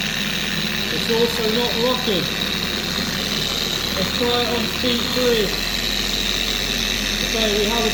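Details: Four-year-old Carbon Collective DA polisher after its gear head was regreased with red lithium grease: an even, steady whir with no screaming. It now runs quieter and normally.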